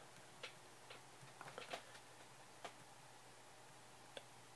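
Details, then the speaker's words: Brand-new, never-used Shure SM57 microphone shaken to test for the known grille (cap) rattle: only a few soft taps from the cable hitting over quiet hiss, no buzzing or loose rattle, so the grille is healthy. "first couple sounds you heard was the cable hitting all right so no noise at all"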